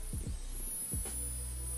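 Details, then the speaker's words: Microlab SL-360W PC power supply board with working standby 5 V and 12 V rails, but the standby circuit whines with a steady high-pitched whistle over a low hum. The whistle persisted after replacing several capacitors. "да он рабочий но он жутко свистит но принципе ничего страшного таком"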